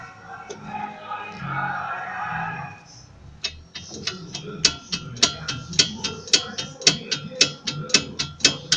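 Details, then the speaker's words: VW Polo front suspension gives sharp clacks about twice a second as the body is rocked side to side; the cause was a loose sway bar link, after the brake caliper had been suspected. "o sol como vocês viram no vídeo aí tava com esse barulho terrível aí na suspensão dianteira aqui do lado do motorista"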